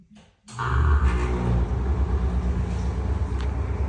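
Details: NuTone exhaust fan, about 2010–2011 (building from 2011): the motor starts and settles into a low, rough, steady rumble with a gritty grind underneath, from very bad, worn fan bearings.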